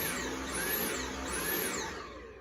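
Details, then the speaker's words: Dyson vacuum that won't stay on while the trigger is pulled: the motor whine sweeps up and drops away about once a second instead of holding steady, most likely from a clog. "where it won't stay on when you're pulling the trigger most likely it's clogged"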